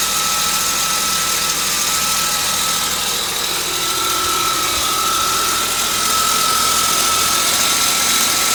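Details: 1998 Volvo V90 at idle: constant thin high-pitched metal-on-metal screech from the back of the engine, changed after topping up low oil; owner suspects cam or valve, unconfirmed.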